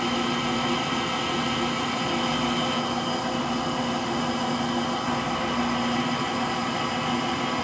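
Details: Frigidaire Gallery front-load washer GLTF1670AS1 final spin with bad motor bearings: constant roaring whir with a steady whine on top, rhythm unchanged, likened to a Pratt & Whitney JT8D jet engine.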